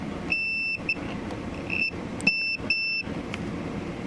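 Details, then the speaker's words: Continuity testing inside a Farfisa O.R. 200 amp during reverb shielding work: the meter's high continuity beep cuts in and out in uneven bursts over room hum, even on parts that tested good before. The meter's continuity function seems unreliable. "parts that it had previously tested and said we're good it it suddenly lost continuity I like to hear that beep because I can't always see my meter"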